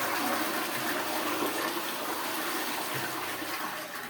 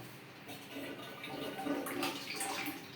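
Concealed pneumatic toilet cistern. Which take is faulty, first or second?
second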